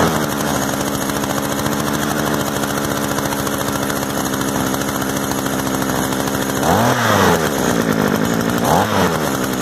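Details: Used Echo gas trimmer after switching off stop and turning off choke: steady high two-stroke buzz at even speed, then two quick throttle blips rising and falling cleanly; runs smooth and healthy.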